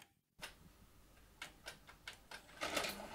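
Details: Old VHS recorder loading a tape: soft motor whirr with a string of light clicks and clatters as the cassette threads; loading mechanism cycles normally.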